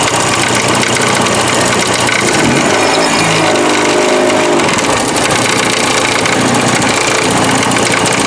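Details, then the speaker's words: 1984 Porsche 944 first running in about four years after front-end work at idle, hood open: loud, fast metallic clatter like quarters in a dryer, felt near the timing chain area; something loose, cause unknown. "One of the big things is it's rattling bad up front. And this is stuff that I just did. So I'll lift the hood. That horrible racket you hear is coming from underneath what I just did. You can kind of feel it right up in the timing chain area. So something's loose."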